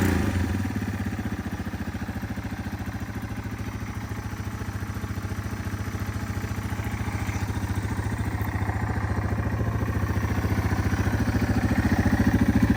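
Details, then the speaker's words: 2001 Yamaha TTR 225, revived after four years sitting with carburetor cleaned: quick steady single-cylinder putter at fast idle, even firing pulses, no misses or knocking; idles really well, healthy before test ride. "so it idles really well it seems to be running really well so let's hop on it and take our first test drive"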